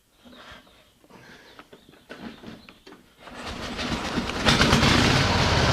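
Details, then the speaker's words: 1913 Harley-Davidson single started after tickling the float: a few soft taps, then it catches and runs a steady even popping beat with no knocks; a sound, tight motor. "go boy that motor sounds good in that machine wow whoops wow that is something does that sound good it's it's just there ain't a noise in it it just sounds like a good tight little motor"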